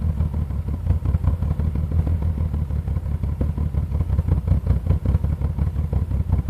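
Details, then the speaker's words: 1986 BMW 528e after sitting years, just revived with new sensors and fuel pressure regulator: loud, deep, choppy exhaust throb at steady idle with visible, smelly black smoke; loud exhaust, cause unclear. "just so loud sound smoke is black I can kind of see it I can smell it too"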